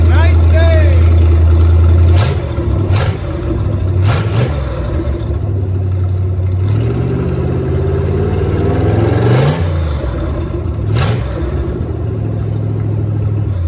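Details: Starboard 454 marine engine after a carburetor swap, previously running on four cylinders due to a clogged primary jet: picks up cleanly through the revs and settles back, firing evenly on all cylinders with no stumble.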